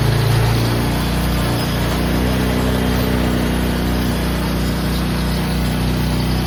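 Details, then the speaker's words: 2000 Suzuki QuadRunner 250 4x4 ATV, 603 miles, sat about 2 years, airbox lid and air filter off: single-cylinder thumping at fast idle with a slightly lumpy beat and loud open intake noise; ran well once the lid was fitted. "I still gotta put the air box lid and the air filter. It'll run way better like that."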